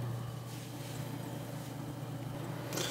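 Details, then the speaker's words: Thermalright Assassin Spirit 120 EVO Dark CPU cooler on a Ryzen 5900X at 50% fan speed, rated 27 dB: soft, steady low whir with no ticking or rattle, barely audible; fan healthy. "okay so this is the Assassin Spirit Evo and this is at 50% fan speed as you can hear you can barely hear"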